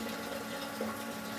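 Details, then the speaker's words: Datsun 510 converted from dual carbs to individual throttle bodies: a strong, steady fuel gush over an even pump hum after removing a too-fine fuel filter. Flow is much higher than with the filter fitted. "This is after removing the filter. Night and day difference. Way more flow. Way more flow. Yeah, that filter was a mistake. It's probably just too fine."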